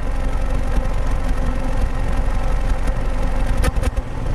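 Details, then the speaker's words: 2008 Pontiac G5 2.2L Ecotec, 244k miles, P0300, new plugs and coils, heard at the tailpipe: deep idle with an uneven pulse and occasional dropped beat, an intermittent "fishbite" misfire on cylinder 4, smooth under load. "so it feels kind of like fish bite misfire not a constant misfire Idol like you would see with like a burnt exhaust valve for example"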